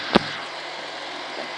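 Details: Pontiac Bonneville 3800 V6 with P0171 after upper intake repair, radiator flush and oil change: after one brief click, a quiet, steady idle with no stumbles or misses; running smoothly, no overheating.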